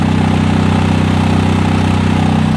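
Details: 1991 Onan 7.5 JB generator with tri-fuel carburetor, 216 hours, first run after dirty ignition points were cleaned to restore spark, started with starting fluid: loud, steady low hum with an even beat; engine running smoothly and healthy.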